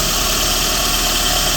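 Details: 2014 Renault Sandero Stepway 1.6 8-valve after belt tensioner realignment to cure a customer-reported belt noise: steady idle under an even airy hiss, no squeal or chirp from the belt; normal idle.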